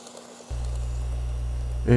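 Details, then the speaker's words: N-gauge model train power car after replacing all the geared bogie parts (motor swap and worm gear cleaning alone didn't cure it): steady, even low hum, knocking and popping gone. "いい感じですね全然異音がなくなりましたということでですねえポコポコがしたら代償を変れば良いみたいです"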